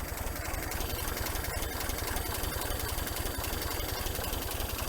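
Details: 1961 GMC K1500 4x4, sat 15 years, with newer carburetor, coil and electronic ignition, warmed up with idle set low: slow idle pulsing about 220 a minute with an extra noise riding on it; cause not yet clear.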